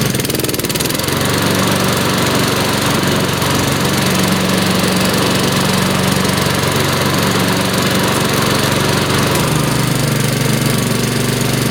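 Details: Mower, first spring cold start, pull-started on choke: steady even single-cylinder drone, no misses or knocks, settling smoothly as it warms; healthy.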